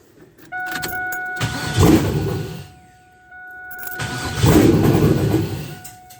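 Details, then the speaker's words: LS engine in an LT1-to-LS swap, first start after adding the frame ground wire for a dragging starter; no exhaust, no tune yet, with a fuel leak. It catches and revs in uneven bursts, runs but needs tuning. "it needs some tuning i need some tuning adjustments no doubt but it starts all right"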